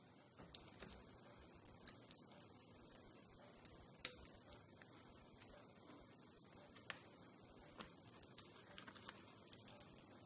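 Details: iPhone 8 Plus: light scattered clicks with short bursts of fast rattling when vibrating, from the vibration module whose screws came loose inside.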